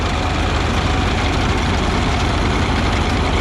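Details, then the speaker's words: New Holland 939R3 chopper head first run after rebuild with fresh bearings and greased chains, machine lifted off ground: steady, even mechanical rumble, no squeal, screech or knocking; lower gathering chain possibly extra tight; normal quiet running. "Well, nothing's broke yet. It sounds good, it's quiet."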